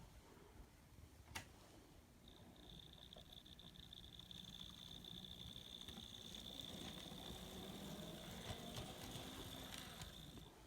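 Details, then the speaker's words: Kato N scale SD40 locomotive after replacing broken truck gearbox with a C44-9/ES44 gearbox: faint steady high motor whine with soft even wheel hum, no clicking or binding as it gathers speed; runs very smooth. "This sounds real good. Let's go see what it does on the track. So this is the moment of truth. Runs very smooth."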